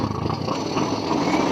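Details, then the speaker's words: Yamaha Mio Soul i 125 scooter that wouldn't start, now with a new C7HSA spark plug. The old plug was wet, carbon-fouled and broken, sparking out the side. Starts on one kick and runs at a quick, steady putter with no misses. "Yun. One kick lang. Gan na lang guys."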